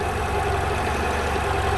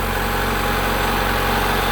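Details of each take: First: 1990 Honda Accord at idle, with only 12.8 V and no charging until the harness is wiggled: a faint rise and fall in engine load as charging cuts in and out. There is a bad connection at the alternator plug or harness. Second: 1990 Honda Accord 2.2 4-cylinder at idle, after repairing bad alternator harness connector that prevented charging: smooth steady idle, no stumbles or misses, charging voltage now about 14 V; normal idle.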